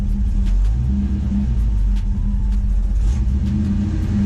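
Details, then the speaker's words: 1985 Ford Mustang LX 5.0 V8 with throttle body injection, warming up at idle: low V8 rumble never settles, speed drifting up and down; idle hunting, cause unknown, oil pressure good. "my edo's crap right now this thing doesn't want to stay idle i don't know why it's doing that"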